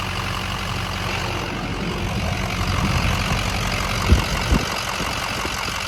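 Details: Truck at 247,030 miles, after a warranty repair and a 17-mile test drive with slight power steering whine: even, steady low idle with no knocks or misses, a couple of soft thumps; sounds healthy.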